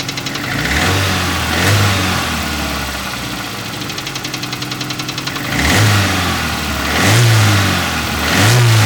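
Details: Toyota 4AGE petrol four-cylinder idling and blipped, with an uneven ticking-knocking underneath that rises with revs; unidentified engine noise, cause undetermined.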